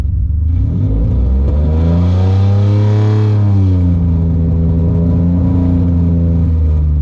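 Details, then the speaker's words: 3G Mitsubishi Eclipse after 3.5 engine and manual swap, running rich: ragged, stuttering note when revved instead of a clean rise; random misfire codes confirmed. "when I rev it it kind of started it kind of like stutters I don't know if it's if it's the car misfiring which kind of sounds like it's misfrankings definitely misfire it's definitely misfire"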